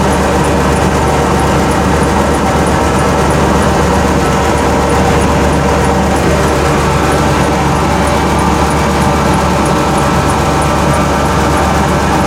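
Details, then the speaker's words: 1991 Ford F-150 300 straight six, quick cold start in winter: steady, harsh raw roar at idle with no muffling; exhaust missing, owner suspects possible exhaust leak. "now here's the 300 straight six my exhaust is missing as you can see down there it still might have an exhaust leak anyway"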